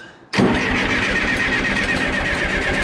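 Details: John Deere 480B diesel after running dry, fuel lines being bled with injector lines loosened: starter churns steadily with even pulses, engine tries but never catches; air still in fuel system, fuel starting to appear at injectors.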